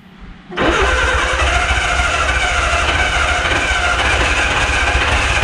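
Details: Barn-find Austin-Healey Sprite, long unused, with only a new battery and a fuel drip bottle feeding the carbs (one carb leaking from shrunken gaskets). Steady fast cranking with uneven puffs that never settles into a run: cranks but won't start.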